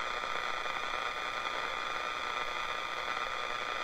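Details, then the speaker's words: Unisonic 6 band radio on shortwave with the 31-foot vertical antenna disconnected; steady hiss and buzzing static with faint high whine and no station, partly blamed on nearby electronics: computer, monitor, two HTs charging beside the radio, overhead lights. "Now, part of that is caused by all the electronics going on in my room right now. I've got the computer on, got the monitor on, actually charging 2 HTs right next to the radio."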